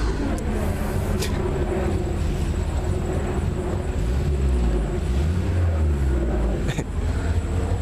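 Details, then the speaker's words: Engine being revved: deep exhaust rumble swells and sags through repeated blips, revs not clean; cause not pinned down. Rough running when revved. "that thing's either the cold start valve stuck on it or the temperature switches went bad or something's wrong with it it's fuel injected"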